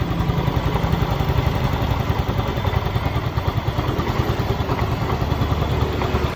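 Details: Yamaha Soul GT 125 scooter, previously losing compression, stuttering and stalling in rain, idling after a clogged air filter box was fixed and its leak sealed with pipe glue: a steady low putter with no misfires or stumbles; normal idle.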